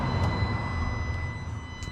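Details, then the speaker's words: 2019 Vauxhall Vivaro 1.6 with intermittent no-start, key-on after test relay fitted: steady high electric whine over low hum as throttle body motor and actuators run; power supply now working. "you can now hear the actuator run the throttle body motor and various other bits and pieces. So, that tells me that everything is active down here."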